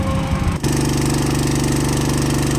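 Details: Samson water pump engine after its drum hole was welded and refitted, with air and water leaks checked: it catches at once and settles into a steady, even beat with no knocks or misses. Running normally.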